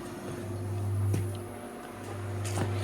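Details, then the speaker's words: Vending-machine refrigeration unit on 253 V, brought in with both fans running but compressor not: after the fan blade was refitted to catch air, a steady low hum with fan whoosh and faint clicks; evaporator frosting up, running normally. "Okay, it's turned on. Okay. Alright, so the blade's going. I can feel the air coming this way."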